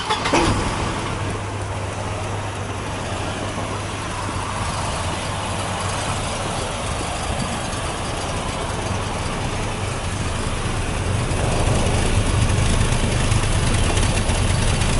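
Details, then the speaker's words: 1988 Volvo 240 (244) after a couple hundred miles on the drive home: low, lumpy chugging idle that keeps wavering; running rough, cause unclear. "She's running like shit, but you know what? She wants to run."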